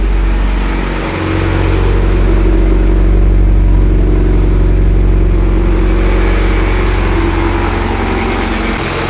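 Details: Stock Mitsubishi Evo X at first start, after fixing power steering and fuel leaks, with some oil burning off from power steering spray: deep, steady idle with even low rumble and no tapping or knock. It is a normal idle.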